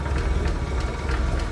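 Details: 1965 Ford F100 project truck, inline six with one-barrel carb and newer plugs, idling with the hood open: low, even rumble with steady firing and no knocking or ticking; a healthy idling six.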